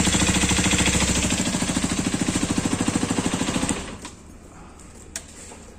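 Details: New Hero Xpulse 210, January 2026 batch, at pre-delivery inspection: sharp steady knock about three per second over idle until shut off; engine also leaking oil at a joint; cause unknown. Engine knocking.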